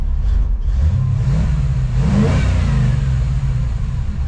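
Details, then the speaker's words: 1954 Chevy Cabover (COE) small-block Chevy V8 on a test drive after its own carburetor was reinstalled. The deep V8 note climbs smoothly with throttle and settles evenly, with no stumble or popping; normal running, idle perhaps slightly low. "All right, take it for a spin. So, seems to be running pretty good."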